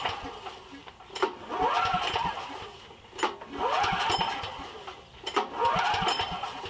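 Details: Briggs & Stratton 7,350 W surge / 5,250 W generator that sat 6+ years, choke and throttle at max, switch on run: three recoil pulls with brief rasping cranks, no firing. It starts on starting fluid, so the no-start is fuel-related: a carburetor ruined by fuel and moisture.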